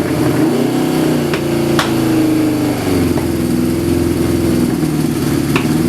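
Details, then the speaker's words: Suzuki GS550 cafe racer four-cylinder with carburetors not yet synchronized, running on choke about two minutes after switching to individual pod air filters: uneven hunting idle whose pitch wanders and sags, dying when choke is off; running lean, pods letting in too much air. "So as you saw there, it starts. I've left it running for 2 minutes now in total, and it's not idling. So whenever you want to switch the choke off, it kind of dies. It's starving itself of something."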